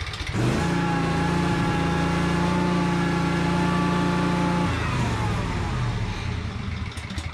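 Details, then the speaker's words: Yazoo Kees 42-inch zero-turn mower with a Kawasaki engine, after fuel-system work: steady buzz that then sags and wanders in pitch; idle hunting, owner suspects water in the carburetor, perhaps in the pilot jet. "I think it's got a pocket of water in the carburetor maybe in the pilot jet or something which is why it's not idling well"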